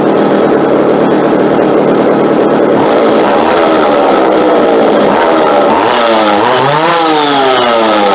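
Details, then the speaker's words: McCulloch two-stroke chainsaw after tune-up, bar not yet fitted, holds a steady buzzing idle without stalling and picks up cleanly on quick throttle blips; fuel mixture set correctly. "and then actually running it into when I pull it here now it'll actually just stay idle"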